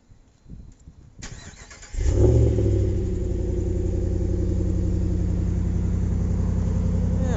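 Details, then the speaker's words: Ram pickup with new Solo exhaust, stone-cold remote start after sitting a while at about 4–5 °C, windy: short crank, catches at once, settles into fast even cold idle with mellow exhaust note, no ticks or leaks; healthy. "so that's a cold start it's not uh not moved in quite a little while there it's gonna be stone cold"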